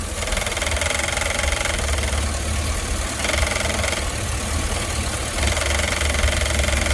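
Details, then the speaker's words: GMC truck with 6.0 V8, warming up after sitting ice cold: light, uneven metallic rattle over the idle, like a fan hitting something, coming from the throttle body itself; owner suspects its idle-control blade fluctuation. "but I want you to listen to this it almost sounds like a fan hitting something but it's not"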